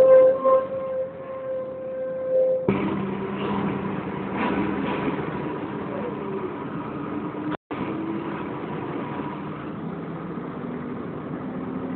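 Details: Wright Renown diesel bus 60833 (W766 HBT), in-cabin on route: high steady screech like a tyre burnout, actually from the cooling fan area, fading into engine and cabin rumble.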